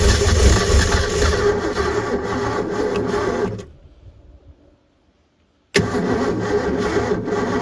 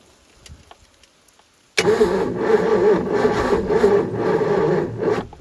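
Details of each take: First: Supra TS6M ski boat engine, once sunk and sitting about four years, run on fuel poured into the carb bowls with a jump pack; fires and runs evenly for a few seconds, dies, catches again, little blow-by, pumping water, sounds healthy. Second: Supra TS6M ski boat that sank and sat about four years, cranked on a jump pack with fuel poured in: starter churns about three beats a second with a stray pop or two, never catches; fuel starvation, weak jump pack also suspected.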